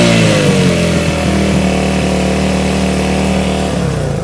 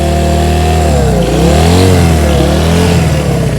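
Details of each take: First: 1971 Honda CB100 single-cylinder, 2,786.6 miles, revived after decades unused: steady popping beat, revving up and settling then dying off; runs cleanly. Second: 1971 Honda CB100 single-cylinder, 2,786.6 miles, first start after decades unused and carb cleaning, just after choke off: uneven surging revs, running rich and flooding.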